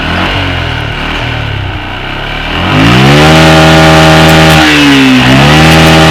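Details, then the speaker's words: Yamaha Jupiter MX New after carburetor service and air/idle setting; throttle blips climb cleanly from idle to high revs, hold, dip and pick up again with no stumble or hesitation. Normal revving, carb setting fine. "oke Sudah ya kita coba cek gebar-geberar ya Bro Apakah merdet atau"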